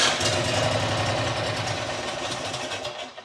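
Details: New John Deere XUV side-by-side, started with brake on and choke, fires and runs roughly a few seconds, then fades and dies instead of holding idle.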